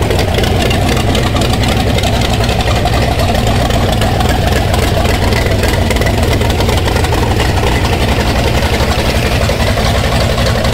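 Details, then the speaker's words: '30 Model A rat rod coupe, V8 idling in gear on a temporary Edelbrock setup: a steady, full-bodied burble, even rhythm, no stumbling or rattles. Idling properly and not loading up; a slipped harmonic balancer is suspected. "so it's cranking good it's staying running in gear it's not loading up fuel is not burning our eyes so it's coming together"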